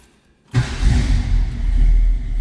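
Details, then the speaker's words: 1966 Ford Mustang Fastback 2+2 with 289 V8, cold start: catches immediately after a brief crank and settles into a deep, steady rumble with no misses or knocks; starts right away every time. "289 pops over in this one right away every time."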